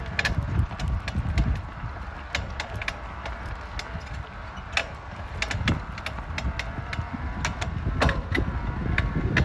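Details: Specialized Levo e-bike drive with irregular sharp clunks, clanks and creaks while pedalling and spinning the cranks, almost as bad with the power off, no motor hum; cause not confirmed.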